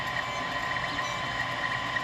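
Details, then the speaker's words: Creality Ender 3 3D printer running: thin steady high squeak over soft motor whir, filament rubbing in a printed filament guide; worse with the previous guide version. "That stupid squeaking is irritating as hell. And it was worse with the other one that I had, so I went ahead and printed this one out."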